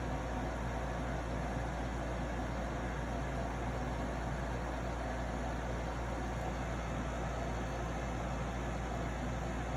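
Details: Arctic King 8,000 BTU (12,000 BTU ASHRAE) air conditioner running: constant low buzz from the compressor, louder than it should be; owner unsure if defective or mishandled.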